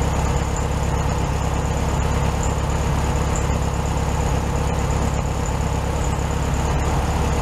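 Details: 1967 VW Beetle 1500cc, warmed-up idle after carburetor refitted with new base gasket on second repair attempt; even, steady low putter, no stumbles or misses; healthy idle set slightly high, owner will drive before deciding on adjusting.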